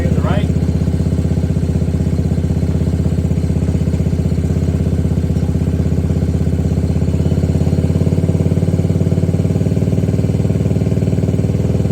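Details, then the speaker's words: 2021 Can-Am DS90 carbureted ATV after carburetor idle-screw adjustment: an even single-cylinder putter at about three beats a second with no stumble; a normal, properly set idle. "that's where we know we're idle set Kind of Perfect on our throttle so we'll start it up see if it'll kick up"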